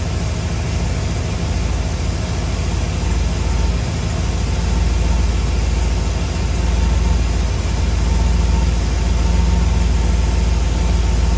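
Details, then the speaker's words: 1962 Chrysler New Yorker V8 idling after a tune-up: the carburetor idle and fuel-air mixture were readjusted. It gives a deep, steady low rumble with no stumble or miss, purring and healthy, a normal idle. "I mean, seriously, I just adjusted the idle a little more, kept messing with the fuel air. She's purring now. Cool. I was sitting there starting to get pissed too, but she sounds good."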